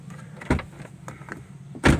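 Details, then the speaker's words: Toyota Avanza/Daihatsu Xenia All New left door after fixing glass that rattled on closing: two solid door thumps with glass half down, no clatter or buzz of loose glass afterward. Normal door glass. "Nah, ini alhamdulillah sudah selesai ya. Sudah bisa gak mengganggu lagi, sudah kedap suara dan tidak lagi apa namanya kayak ada tabrakan kaca, ada ceder."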